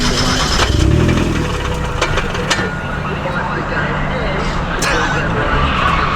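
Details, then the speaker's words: Mazda Miata manual gearbox that went bang under full throttle while drifting in tandem; second gear is broken, and the owner wonders whether the clutch is also hurt. Rough, uneven drivetrain noise with a ragged rattle under load: broken second gear. "Hopefully it's not the clutch. I know second's gone, but like, Yeah. it's noisy. It is noisy."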